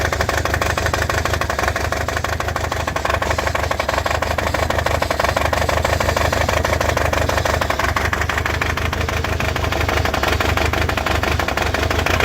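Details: Toyota 22R-TE engine: steady idle with an uneven, stumbling beat and occasional knock-like skips. Misfiring at idle.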